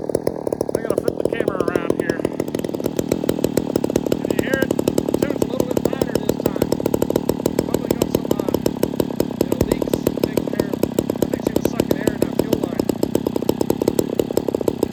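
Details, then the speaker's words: Ported vintage Homelite XL 870 chainsaw after repairs: loud steady two-stroke buzz, fairly even high pitch, running cleaner; still idling a little low, idle screw needs raising; slight air leak possible, unconfirmed. "All right, I think that tune's close enough. She's still idling a little low. I just got to turn the idle screw up a little."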